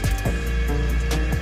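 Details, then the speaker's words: Drone brushless motor run manually by joystick, propellers off, after applying Deuthlon Drone Lube Red special motor oil: smooth steady whir with even tone, no rough or scraping noise; motor spinning freely and healthy. "Okay, boleh dengar lah, motor dia pusing. So tu bunyi dia lah yang bila kita uh, lepas uh, letak minyak tadi."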